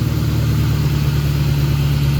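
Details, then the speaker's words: 1998 Ford Mustang GT 4.6L 2-valve SOHC after alternator replacement, heard at the front; smooth, even low idle with a steady deep burble and no whine or rattle; the old alternator made a loud racket, now quiet. "oh it's nice and quiet up here the old one was making a hell of a racket and now it's nice and quiet so nice"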